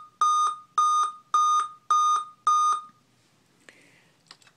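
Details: Dell Inspiron M5030 laptop at switch-on: loud, clear mid-pitched beeps in evenly spaced double pulses, a startup beep-code warning, with a blank screen.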